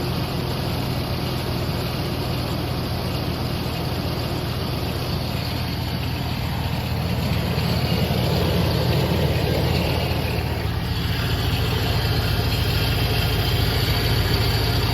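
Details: 2002 GMC Sierra Z71 V8 idling: loud, rough whirring drone from the front of the engine bay; source being located, cause suspected, not confirmed.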